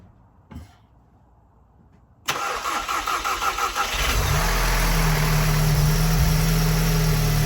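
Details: Tuned EA888 (Vortex XL turbo, MPI kit, 1300cc injectors, catless downpipe, E85 tune, 530 WHP) on first start after installing an EQT high-pressure fuel pump cap/line kit: brief crank, catches, settles into a steady even idle; a small fuel leak is found afterwards.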